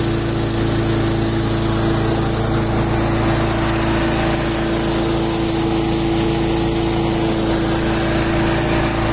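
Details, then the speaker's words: Craftsman 4-in-1 mulcher started on full choke after a drive belt replacement: the small engine runs at a steady, even buzz with a constant whine, with no misses or knocks. Normal running. "we're gonna start it up see if it works okay I'm going to try it for it full choke"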